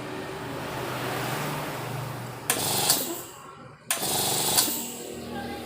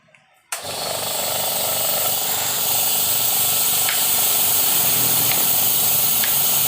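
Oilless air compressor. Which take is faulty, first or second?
second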